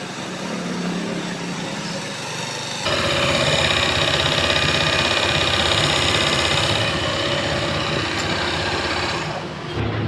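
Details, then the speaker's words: Honda PCX 160 that would not start, after starter-generator reassembly test: once spinning, a coarse, gritty rasp rides over the engine as the stator coil rubs the magnet rotor; said to go away with time. "itu timbul suara kasar seperti itu karena sepulnya tadi berlaga sama magnet ya jadi saat berputar dia mengeluarkan suara bising seperti itu"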